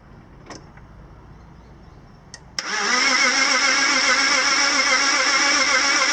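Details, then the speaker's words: BMW M54 engine (E46/E39), sudden low compression, coil pack refitted: starter spins fast and perfectly even, nearly four beats a second, no labouring on any stroke; virtually no compression on any cylinder. Will not start. "So there we go, nothing. virtually no compression on anything."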